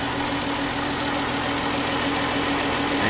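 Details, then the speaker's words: 2015 Dodge Journey idling after oil filter housing replacement: light, quick ticking three to four times a second over the hum. Lifter tick, possibly from a chewed-up cam or lifter. "Either the cam's chewed up or the lifter on it. Y'all infamous lifter tick."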